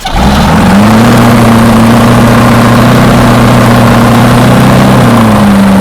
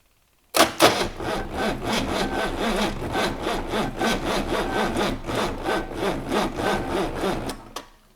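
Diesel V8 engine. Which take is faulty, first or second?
second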